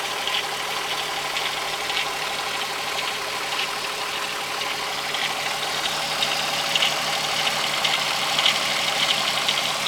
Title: 12v VR6 Ticking/Rattling Noise